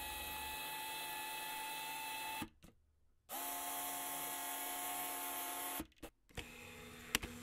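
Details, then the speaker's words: Megadap MTZ11 autofocus adapter on a Nikon Z camera driving a vintage lens: thin, high-pitched motor whir in short runs, stopping and restarting every few seconds as focus hunts. Normal autofocus motor noise, loud in quiet venues. "if you're in a quiet venue it's going to be loud but if you're in the middle of the street it's not"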